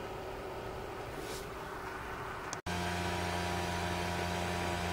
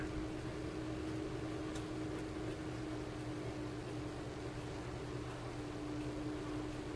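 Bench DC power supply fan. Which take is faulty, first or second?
first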